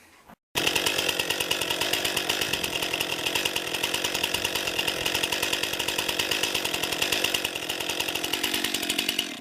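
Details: New 50cc two-stroke chainsaw, about ten pounds, cutting firewood on a cold day: high fast buzz holding steady revs through the cut without bogging or stalling; lots of power for its size, cuts well, healthy.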